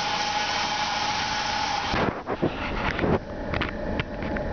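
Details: 1999 Saab 9-5 2.0 L turbo B205E 150 hp, running: thin steady whine over the engine, suspected from the oil pump; also oil pressure drops when hot; source unconfirmed.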